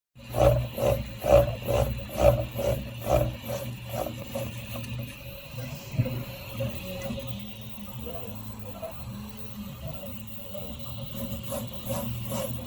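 A buzzing rattle pulses about once a second as the head sweeps fast, then goes rougher and irregular; high-speed rattle, cause unknown.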